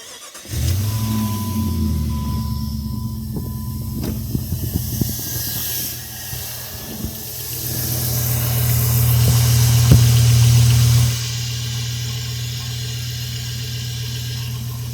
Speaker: 2001 Jeep Grand Cherokee 4.7 liter V8 PowerTech. Got some low end knock, but it only happens when it's cold. Within the first 2 minutes of it running, it goes away.